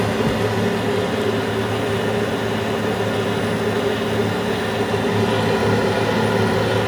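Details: Carrier Infinity 96 (58MVB) gas furnace starting in 2nd stage, inducer running before the pressure switch closes and the hot surface igniter glows: smooth constant fan whir and hum, no rattles or scraping; normal prepurge.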